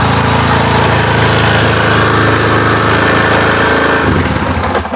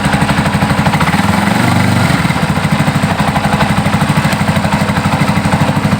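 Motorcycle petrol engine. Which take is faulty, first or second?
second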